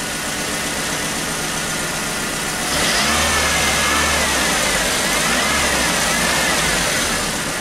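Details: 1996 Chevy S10, 2.2 L four-cylinder, over 260,000 miles, codes P0200 and P0302, with the injector ruled out: an uneven stumbling beat with a recurring miss and popping as it revs, likely from a broken spark plug wire.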